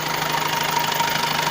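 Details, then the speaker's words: 2014 Skoda Octavia A7 1.6 diesel 105 hp, manual gearbox, single-mass flywheel, idling: quick even tapping with faint ringing near the gearbox that stops when the clutch is pressed or the shift rod moved; owner unsure: gearbox input shaft or clutch. "Стоит стук. Не можем разобраться, в чем дело."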